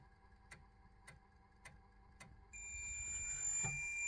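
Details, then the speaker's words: Spellbound beta board with PiStorm running Turrican 2: faint ticks, then a steady piercing high-pitched electronic squeal after the intro, with a corrupted logo. Owner is fairly sure it is not the PSU; source unknown. "When I ran Turken 2 with a PyStorm, something in this area started making a high-pitched squealing sound."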